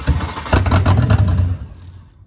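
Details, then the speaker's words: Ford XR6 Turbo Barra NA+T build, first start with FG turbo intake manifold, fuel rail, FG coil packs and a BA/BF turbo MAP sensor: catches briefly with an uneven roar, then dies; won't idle, owner suspects MAP sensor or fuel pressure. "Alright, we've got ignition, but it's not going to idle. We'll try it again."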